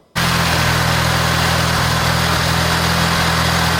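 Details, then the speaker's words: Car just brought back from a no-start, running without coolant so only briefly. A steady low idle hum with brief stumbles every second or so: very lumpy idle, and it conks out when accelerated; cause unclear. "so it started again seems very lumpy also I can't run it too long cuz it doesn't have any cool in it"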